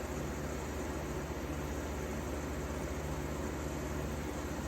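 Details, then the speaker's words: 1953 Fedders Weather Bureau room air conditioner with Tecumseh S-type compressor, after electrical upgrade and service: steady even hum and airy fan rush, no knocks, rattles or surging; already blowing cold. Normal running. "Man, that sounds beautiful. Obviously, this does predate the BTU rating. It's already blowing cold."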